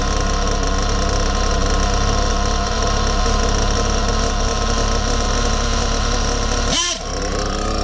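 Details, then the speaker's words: Small nitro RC engine buzzing at idle then stumbling briefly on a quick throttle blip; hesitation, not bogging, because the mixture is too lean and needs richening. "That sound, that's not bogging, that's hesitation because it's too lean. Listen carefully. That's too lean, it needs to be richened up."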